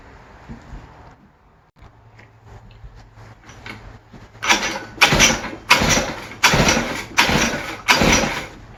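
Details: West Bend 580 two-stroke engine after cleaning the carburetor and reed valves and fitting new gaskets, run with no choke and the mix screw 2 turns out. It fires and settles into a crisp, even idle, running normally again.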